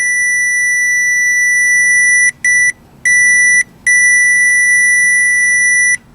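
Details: 2010 Chevy Malibu 2.4 with no start and no injector pulse, tracing a harness wire: a steady high tone drops out twice, then cuts off for good at one spot; the harness wire is broken there.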